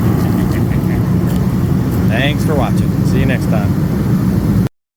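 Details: Master kerosene torpedo heater after an E1 shutdown repair, lit and heating up. Steady, even roar of fan and flame with no sputter, pulsing or dropouts; the burner is running properly.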